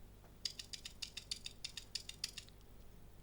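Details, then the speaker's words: Original stock arcade-stick button: sharp, crisp, loud plastic clicks about three or four per second; the unsilenced button working normally. "There's the original button from the arcade stick, and here's a modified Sanwa with the silencer pad installed."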